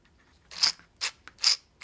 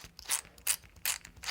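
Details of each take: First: RC custom 6WD truck steel transmission with dual brushless motor mount, after resetting spur-to-pinion gap: crisp, even whirs spinning up, clean meshing without grinding; gears properly set. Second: Custom six-wheel-drive RC truck, steel transmission with dual brushless motor mount, new steel 48-pitch slipper spur gear fitted after a stripped idler, spun by hand: four short gritty high-pitched metal-on-metal whirring bursts; gear mesh too tight, backed off.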